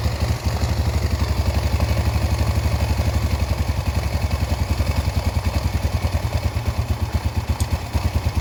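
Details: Yamaha Vega R four-stroke single, repaired after failing to start from lost compression (valves lapped, ring area cleaned), exhaust refitted: steady, even low thumping idle with regular firing pulses, no misses or valve tapping; runs cleanly.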